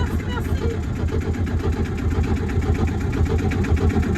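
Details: Wauquiez 29-foot sailboat inboard engine, first start after rewiring the electrical panel (batteries about 12.7–13.2 V): catches and settles into an even, low chugging idle of about two beats a second, no misses or knocks; normal start and idle.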